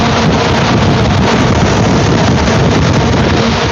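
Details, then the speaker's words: iDRY AIRFire firewood kiln, circulation fan at full speed in firewood mode; loud steady even roar of air around the wood pile, no knocks or rubbing. Normal full-speed fan operation. "But there we are, screaming heat and airflow around this pile of wood like crazy."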